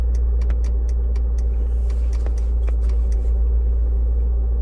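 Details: 2002 Land Rover Discovery S2 SE, morning cold start only: sharp irregular ticks near the under-dash fusebox at idle, louder when the shift lock engages, shifter lights blinking in sync, gone after minutes; relay clicking.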